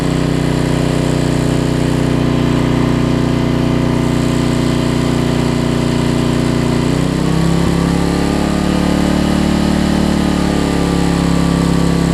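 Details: Homelite LR4400 generator after governor readjustment, having earlier raced and dropped rpm: a steady, even drone with a brief pitch shift midway, then a smooth, constant run; the governor is holding speed properly.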